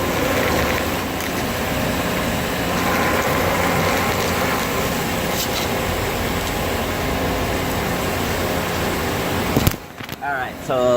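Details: 2011 Ford Explorer electric rack and pinion, shutting down and feeling stuck after driving through flooded streets: steady coarse grinding and rumble as rack is moved back and forth; owner suspects grease washed out.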